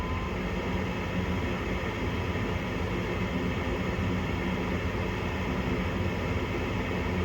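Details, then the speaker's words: Home gas furnace short cycling, dirty flame sensor (flame rectifier) later found: inducer motor running and closing pressure switch, igniter called; steady low hum, even drone, no knocks or squeals. "So we have the inducer motor going which is causing the pressure switch to close. We just got the call for the igniter to put on."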